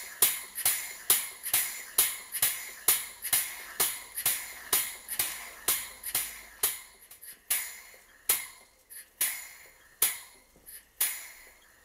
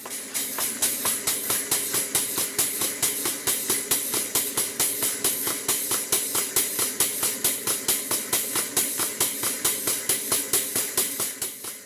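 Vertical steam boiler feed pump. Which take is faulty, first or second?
second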